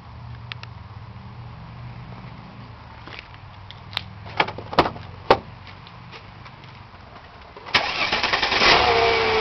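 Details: 2000 Mercedes ML320 with codes P0300, P0304, P0305 and P0306 and driver's side cylinders cutting out: rough, uneven idle with sharp pops, then a strained rev. A backpressure test confirms a major restriction in the driver's side catalytic converter.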